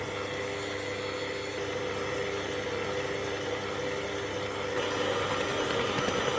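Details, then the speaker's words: Kenwood kMix 500 W stand mixer with K-beater and an overfilled 5-litre bowl; steady whirring with a mid-pitched whine rising near the end; motor strain under overload. "The bowl is overfilled here. And this machine with this capacity in it whines."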